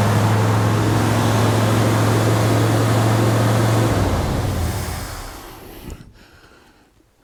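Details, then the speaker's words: Ford F100 engine, first start-up attempt, run briefly with no coolant: it catches and settles into a steady low rumble for a few seconds, then winds down as it's shut off; it fires and runs fine. "but the big thing is is it turns over yay that's a good sign"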